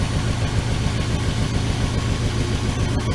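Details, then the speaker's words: 1979 Dodge D100 Adventurer pickup V8 with carburetor: smooth even idle, steady low beat, no misses or tapping, hitting all eight, oil pressure good, very quiet; normal idle. "Oil pressure, that's good. That's good."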